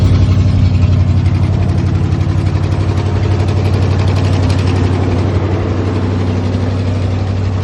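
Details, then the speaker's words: 1968 International Loadstar, first run on a new Holley inline electric pump after tapping the carburetor bowls (likely a stuck float): fast, steady idle easing slightly. Idle is high because the choke is on. "Running fine. Idle sounds a little high, but I had the choke on."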